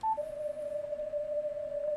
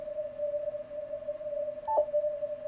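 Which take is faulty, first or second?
second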